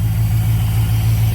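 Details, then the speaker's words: Camaro engine with low oil pressure, revved: deep lumpy idle with a dull regular knock about six times a second under the exhaust rumble: rod knock, worse when hot, plus piston slap that fades when warm; engine needs an overhaul. "there is a definite knock there it does have some what's called piston slap too uh that goes away as it gets warmed up and then the rod knock takes over even more once this thing's hot"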